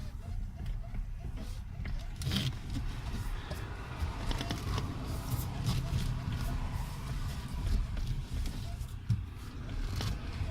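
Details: Nissan Qashqai cabin: faint rubbery squeaks over low rumble as the steering wheel turns, from the steering shaft's rubber boot; fix by greasing it from under the left wheel arch.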